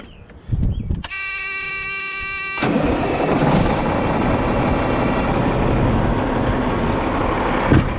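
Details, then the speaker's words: 1998 Freightliner Classic XL with Caterpillar 3406 diesel, after new fuel filter, primer cleaning and check valve fix for a loss-of-prime fault: starter whirs about 1.5 s, then catches at once into a steady even rumble with tailpipe smoke; clean start. "Got a bunch of smoke out the tailpipes."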